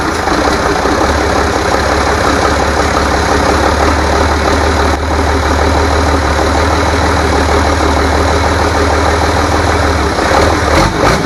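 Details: Rebuilt International DT466 diesel from a loader, previously knocking, first run after oil and fuel priming: steady, even diesel clatter at idle with a smooth low drone, no knocking or misses; runs healthy.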